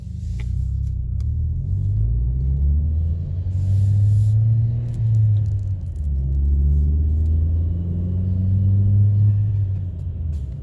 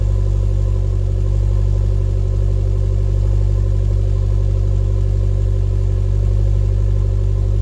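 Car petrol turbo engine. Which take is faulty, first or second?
second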